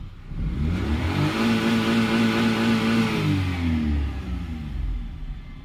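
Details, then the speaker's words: 2008 Maruti Suzuki Alto with intermittent starting and pickup problems and a check engine light. On a rev test it rises smoothly in pitch, holds, and drops back cleanly with no misfire; pickup is good and the light is off. "ইনশাল্লাহ এদিক থেকে গাড়ি কিন্তু ভাই টান টানা টান pickup teacup কোন অসুবিধা নেই"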